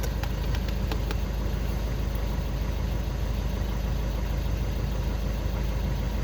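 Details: Skoda Octavia 2 diesel after crankshaft sensor (G28) replacement and fault clearing, cured of no-start/hard-start with glow plug light: steady, even diesel clatter at idle, no misses, stumbles or knocks; engine settles and runs smoothly, normal idle.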